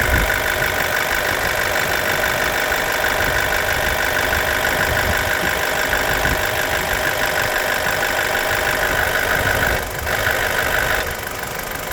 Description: Bmw n45b16a 30sec. activated exhaust vanos side rattling noise